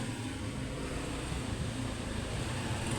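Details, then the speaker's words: Electric fan after replacing the motor bushing with a bearing, camera close to motor: steady, even low hum with no rubbing, scraping or ticking at speed; shaft alignment good, running smoothly. "So okay naman siya. Okay na siya no. Ayan. So wala tayong narinig na ingay."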